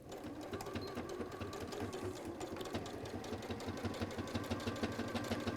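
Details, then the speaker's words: Heavily used 570a sewing machine stitching a bag handle close to the edge at about three stitches a second, each stroke landing with a dull thump; user suspects the needle needs changing, unconfirmed. "the reason you can hear that thumping is probably because I need to change the needle because this is this machine gets well loved well used it gets used a lot it's the 570a"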